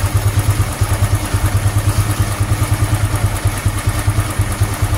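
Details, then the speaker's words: Honda Supra X 125 FI after fixing a noisy cam chain tensioner that followed fitting racing valve springs; even putter at about 2.5 beats per second with no rattle or clatter, a smooth, healthy idle. "Uh, anjay. Mantap, Teman-teman. Halus banget suaranya. Gila."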